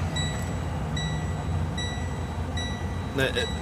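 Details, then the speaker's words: Truck on a road trip, light repaired that morning: high double-toned lights-on warning chime repeating about every 0.8 seconds over cab rumble though lights and key are off; cause unknown. "That would normally be the sound for, hey, you left your lights on, but my lights are off. My key is off. And I don't know why that goes off."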